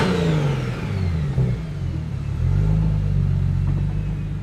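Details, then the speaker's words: BMW 135i N54 with 1M conversion, just fitted with a Doc Race single turbo kit, on first drive; smooth pull as revs climb, deep steady exhaust note, previous exhaust rattle gone, sounds healthy. "Ooh, this car feels so good. Sounds way different. Holy Yeah, shit. sounds good."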